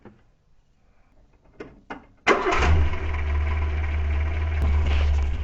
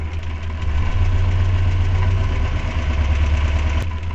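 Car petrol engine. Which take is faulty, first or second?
second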